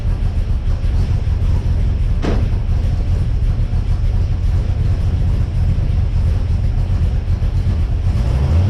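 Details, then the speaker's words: XG ute V8 on first start after fitting CNC-ported heads and a VCM 13 cam, running on the assembly oil to warm up before an oil and filter change; deep, steady rumble with an even idle and no knocks or misses; normal running. "beauty full that could not have gone any better"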